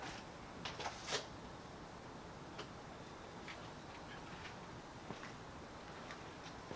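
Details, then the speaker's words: 2000 Jeep Cherokee turn signal: a few light flasher relay clicks, then faint scattered ticks, blinking only 1–3 times before stopping, both sides, lights or brake on or off; suspected failing flasher, possibly switch or wiring. "Alright, and now the second time, even less, right? It blinked 1 or 2 times or 3 times and then stopped."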